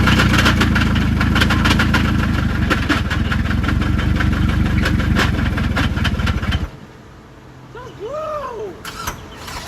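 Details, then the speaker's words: Scion tC after a starter replacement, idling with a heavy, regular knock of about four beats a second before cutting out; rod knock, engine blown after being revved. "Oh my god, I just blew up his car. Oh. Oh, I just stood up and revved it."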